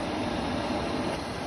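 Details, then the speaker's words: Newly installed Inferno cab heater blower on a 2021 CFMoto 800EX running on high: strong, steady rush of air, even tone, no ticking, rubbing or wobble; ample for defrosting the windshield, normal operation. "It's pretty, really actually pretty. Shouldn't have any problem keeping the windshield defrosted."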